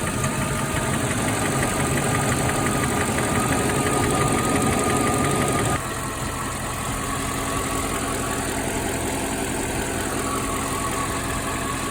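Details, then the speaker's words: Mercedes E420 V8 on first cold start after sitting about four weeks, following a throttle body rebuild: steady light ticking about three per second over a rough idle. The owner suspects a lifter, and the noise faded once warm. "So right on first startup, I mean, the car has been sitting for weeks, probably like 4 weeks now before I started. So, you know, I figured that it was probably just a lifter, and it did dissipate almost to an indistinguishable level after I let it warm up and drive it around a certain amount of time."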